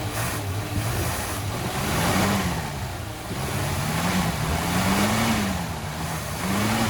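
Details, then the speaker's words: 1966 Dodge Coronet V8, first start after 20+ years sitting, idling while leaking and smoking; the carb needs work. Rough running with a low hum up front that rises and falls every second or two. Owner suspects the water pump. "it makes noise it makes weird noise up front i'm guessing uh i'm guessing that water pump's not super happy"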